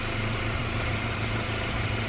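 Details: 1988 Honda CRX Si, D16 engine, after new clutch and transmission install and a drivability fix: quiet, smooth idle with a steady, even hum and no misses, ticks or knocks, barely audible; normal idle.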